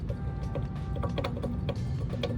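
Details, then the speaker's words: Abandoned big-turbo Honda Civic: sharp, uneven clicks as the turbo wheel is rocked by hand, showing excessive shaft play from worn turbo bearings; turbo is done. "Yeah, it's got a lot of play. Yeah. Shouldn't have no play."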